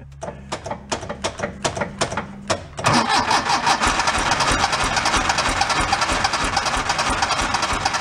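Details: 1976 Porsche 914 station wagon, abandoned, fuel dripped in to help start; seemingly firing on one cylinder. About a dozen slow, labored cranking pulses, then it suddenly catches into a rough, ragged roar; hard start.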